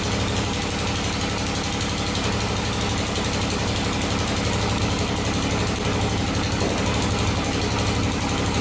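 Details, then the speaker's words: 2001 Honda 400EX after rebuild for cam chain and bent valves, with loose valves readjusted: steady single-cylinder idle with even thumping beat, no ticking or rattle from top end, no smoke; valvetrain tick fixed. "sounds pretty good that's a lot better sounds really good no smoke cool"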